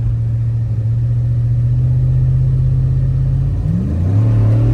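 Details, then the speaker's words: 2006 Chevy Tahoe 5.3 LS V8 after stalling and wiring repair, test drive pulling to about 5,500 rpm: deep, smooth pull climbing hard with no misfire stumble; all eight cylinders firing. "so seems to be M much better now she's got all eight firing"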